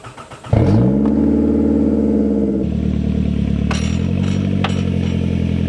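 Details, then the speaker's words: 18-year-old 2005 Toyota Camry with exhaust missing: engine catches and settles into a loud, raw, deep unmuffled drone. "I'm going to start it and you'll hear the lack of exhaust and I'll show you just how loud the broken spring on the left front is"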